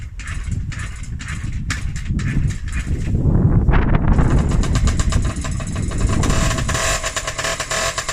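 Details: Restored and rebuilt Honda QR50 with a new carb, freshly topped up with oil and a little petrol: the small two-stroke coughs, catches and settles into a buzzy rising rev that holds steady on its own.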